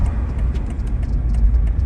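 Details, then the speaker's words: Jeep WJ Grand Cherokee 4.7 after idle air control valve fix (code P0462, previously high idle around 1000–2000 rpm): low steady rumble rolling to a stop, revs hold even with no hunting or stalling; idle now normal. "oh and i got too excited but the idle it's perfect now it's where it should be"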